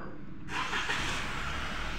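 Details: 2021 Toyota Corolla after fixing a wiring fault (codes P084011, P091414, transmission fluid pressure sensor circuit short to ground; clunk in reverse): engine fires right up and settles into a smooth, steady idle, no stumble; healthy start, check engine light gone.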